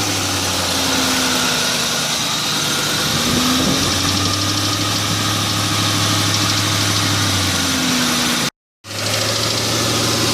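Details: 2002 Ford Mustang GT V8 at idle after a brief rev: quick, light ticking that stays steady with engine speed; the owner suspects an exhaust manifold gasket leak, unconfirmed.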